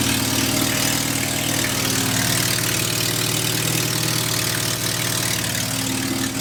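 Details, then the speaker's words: 1979 Volkswagen Rabbit at idle, front end raised: loud, fast chuffing puff about four beats a second over the engine from a leaking exhaust gasket at the manifold-to-downpipe joint, before gasket replacement; exhaust manifold leak. "something's gonna start up real quick and then you guys can really hear how bad this exhaust leak is"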